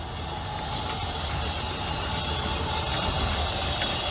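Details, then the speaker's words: Honda Pilot, original owner, running very rich and barely staying running, improving as it warms: a rough, uneven idle with a constant airy hiss, likely a big vacuum leak not yet found; motor mounts also worn out. "I don't know if you can hear that hissing but I certainly can so we've probably got a big vacuum leak somewhere"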